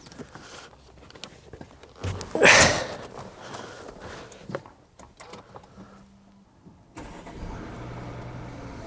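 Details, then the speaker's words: Stolen-recovered salvage Audi Q8 Black Edition of unknown mileage, first start after a new battery was fitted: quick crank, then a quiet, even idle. A brief ticking went away; normal start and idle. "No, there was a bit of a ticking noise, but it's just gone away. No, it sounds good. Sounds sweet."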